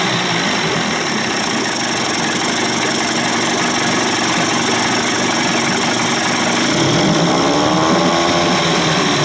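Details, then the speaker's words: Johnson/Evinrude 25 to 35 hp two-stroke outboard conversion after low-speed timing sync and fuel pump swap, idle deliberately set slightly high; steady, even buzz, no misses or knocks; running healthy. "I like my Motors to run a little high she sounds good man"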